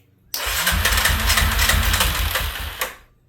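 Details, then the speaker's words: 2003 Yamaha Wolverine quad, after head and cam chain work, first start on full choke with a leaking carb funnel fuel feed: fires into about two and a half seconds of uneven popping, then dies, disliking choke off. Fires but won't keep running. "It's wanting to run. [Music] Take off. Choke. Doesn't like that."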